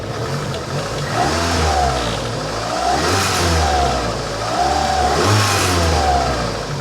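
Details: 1985 Honda Accord, 62K miles, first revive with 1.5–2 gallons fresh gas: engine climbs cleanly through quick throttle blips and settles back each time, smooth with no misfire or stumble; slight heat-shield rattle noted.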